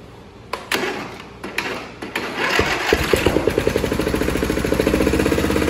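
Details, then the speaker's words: Briggs & Stratton 24 hp Intek V-twin on a Craftsman mower: cranks, catches and runs with a loud rhythmic clatter near three beats a second. Dead cylinder because a valve guide came out, stopping the valve and rocker arm working. "So basically that noise that you heard was a bad valve guide coming out of the engine block and not allowing the valve to do its job and the rocker arm to do its job. So that's why you basically were down a cylinder."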